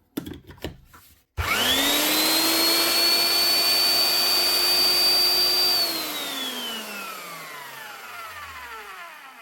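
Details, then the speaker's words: Eibenstock drill after fitting new lead and plug: motor spins up to steady high whine, holds evenly, winds down smoothly after switch-off; healthy running, no roughness or grinding. "One I stock with a new lead and plug that'll keep us boy boring away for we oldie."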